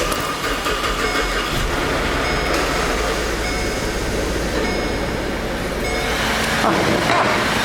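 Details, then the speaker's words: 2010 Holden Commodore Alloytec SIDI V6, 210,000 km, had check engine light and reduced power; first start after timing chain setup, new plugs and oil change. It catches and settles into a steady, even idle without knocks; normal idle. "here we go now that's a good sign"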